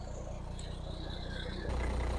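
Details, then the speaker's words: 2003 Foden Alpha truck with Cummins diesel, started after an engine wash: low steady rumble settling evenly after start-up, no knocks or misses; starts with no problem, normal idle. "And you can hear her in all of her glory and see her. Oh, she starts all right. No problem there at all."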